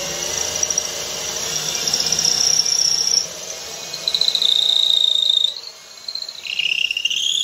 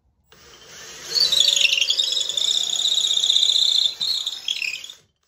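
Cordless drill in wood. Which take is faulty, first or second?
second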